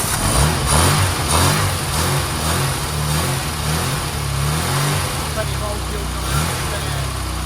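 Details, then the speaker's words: 1275 Austin Maestro barn find, one owner, 40,000 miles, first start after 19 years on a frosty morning. Small petrol engine settles into a fairly even, sweet idle after light blips; starting to smoke a touch and leak fuel, carb rebuild needed. "Oh yeah, that's running sweet though. it's flowing, isn't it? Yeah. 19 years."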